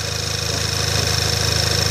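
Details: Skoda Octavia A5 at idle in the cold (about -4 °C): thin high squeak with a faint rhythmic rubbing "kyk kyk" in the engine bay, appearing about a minute after starting; owner thinks it is not the alternator, cause unclear.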